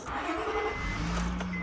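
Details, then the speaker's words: 2005 Honda Pilot after replacing the leaking O-ring in the power steering pressure hose, winter start: smooth, even hum with no pump whine, much quieter than before, and no reservoir bubbling, normal power steering. "so no lights coming on that's good ah and immediately I can hear it's it's a lot less noisy uh than it was and it sounds really good already"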